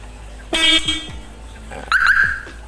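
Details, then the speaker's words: Toyota Agya/Daihatsu Ayla 1.0, reset by unplugging and replugging a connector instead of the battery after a high-idle RPM repair: two short horn chirps about a second and a half apart as power returns, normal alarm response. "nih ketika dipasang kalau ada alarmnya pasti akan formasi bunyinya dulu ya"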